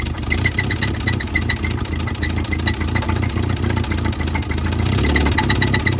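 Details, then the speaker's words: 1972 Toyota Celica 18RC, first running in 26 years after carburetor rebuild: uneven, chuffing idle with a loose beat about four a second and ragged exhaust; rough running, owner jokes of rod knock, exhaust leak or carburetor, unconfirmed. "wow that sounds bad sounds like a warren baron a rod knock exhaust leak shitty carburetor bad engine"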